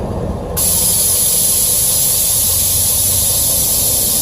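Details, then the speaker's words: 2017 Ford F450 with Air Lift LoadLifter 5000 Ultimate Plus airbags and wireless compressor, lowered after the compressor shut off at 45 PSI: sudden steady, loud hiss holding evenly as the relief valve vents bag pressure normally. "Then again, once I lower it down, you'll hear the relief valve."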